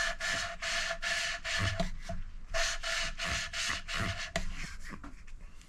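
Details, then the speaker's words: Hand-lapping a valve into its seat with fine-grade paste after coarse passes (3 goes coarse, 2 fine). Rhythmic back-and-forth scraping at about two and a half strokes a second, a smoother, finer rasp than coarse. The seat ends up as a smooth matte contact area with no pits. "You can feel the difference with your fingers actually. Now you hear a difference in the noise as it starts as well when I start grinding it."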